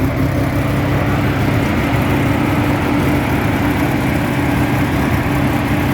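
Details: 1985 Mazda RX-7 GS rotary idle, loud and coarse with an uneven low rumble while the whole car shakes. It starts fine but sometimes dies at stops without throttle, then restarts. Rough idle, cause not identified.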